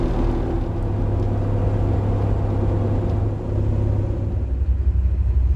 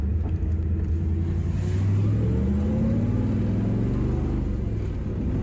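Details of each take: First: Tempest being carb-tuned for altitude in Colorado, idle and intermediate circuits adjusted after ignition, while warming up: deep, steady low rumble, no misses or stumbles, now more civilized — normal idle. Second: Carbureted V8 (Tempest) on street test while tuning for altitude, lean main jet with higher power valve: deep, lazy, blubbery burble pulling sluggishly; running overly rich, AFR 11s–12s, 13s at idle; plan to lean transition and drop a primary jet.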